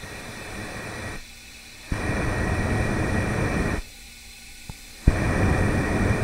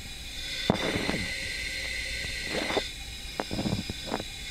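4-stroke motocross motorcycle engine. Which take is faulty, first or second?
first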